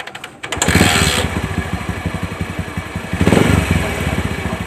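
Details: Bajaj CT 100 single-cylinder motorcycle idling with a fast uneven putter and dry scraping underneath that persists with the clutch pulled; mechanic suspects the worn 6003 stator bearing (otherwise the bearing behind the clutch housing), heard before opening the engine.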